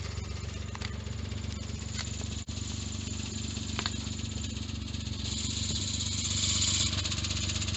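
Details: Suzuki Jimny JB23 at 170,000 km: steady engine drone, then a harsh high grinding rises as the clutch engages during a rev-matched downshift; noise also with clutch engaged, owner suspects clutch disc, cover or release bearing.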